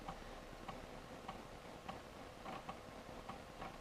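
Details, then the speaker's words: Toshiba Satellite 4030CDT laptop booting from floppy boot disk for Windows 98 install: soft light head-step ticks about every half second over low hum; floppy drive reading normally. "it's working it sounds like it does yeah"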